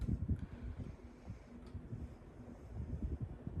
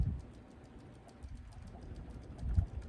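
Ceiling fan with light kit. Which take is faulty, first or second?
second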